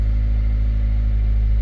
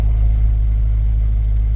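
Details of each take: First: 2006 Toyota Corolla with P0301 cylinder 1 misfire code and rough idle, just after replacing the ignition coil: steady, even low idle hum, no stumble; sounds smoother, though check engine light still on and misfire code later returned. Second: 2006 Toyota Corolla four-cylinder with check engine light: a deep, uneven, lumpy idle that stumbles instead of humming smoothly; the scan shows P0301, a cylinder one misfire, which was fixed by replacing the ignition coil.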